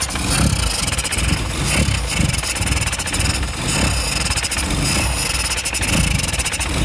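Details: Austin 1100 petrol engine: rough idle, low chuff rising and sagging unevenly, and engine not revving.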